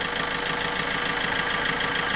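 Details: Vauxhall Corsa with a working battery, tested with a cheap battery tester that shows the alternator working: a light, even idle hum under a lot of hiss, steady with no knocks or stumbles. Normal idle.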